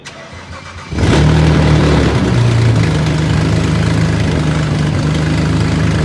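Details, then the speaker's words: BMW E92 335i twin-turbo first start after engine install, O2 sensors unplugged leaving ports open: brief crank, then loud uneven running with raspy chuff; exhaust leak at open O2 sensor ports, didn't sound healthy. "you good that didn't sound good your o2 sensors are not plugged in your holes are open"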